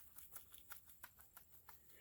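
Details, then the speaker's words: 2013 Subaru Crosstrek, front wheel off, bearing rusted from New York road salt: sharp metallic clunks, about four a second, as the loose hub is rocked, revealing play in a worn front wheel bearing; bearing, backing plates and calipers being replaced. "see the rust got to the edge of the wheel bearing and the play in the wheel bearing you can hear it"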